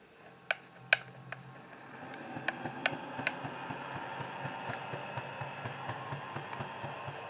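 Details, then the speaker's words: Model 44-ton switcher locomotive with a DH123 DCC decoder, in reverse at speed step 126: faint uneven ticking about twice a second under a soft motor hum, barely moving. The front wheel-set gear isn't spinning while the rear works. "I'm at speed step number 126 right now and it's barely moving"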